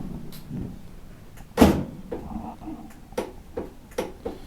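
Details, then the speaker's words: Plow tractor with its original engine, batteries swapped though both possibly somewhat weak: a single heavy clunk then scattered light clicks and no cranking; the starter is dead and needs replacing. "and it sounds like a dead battery but batteries have plenty of juice in it uh this thing's just dead"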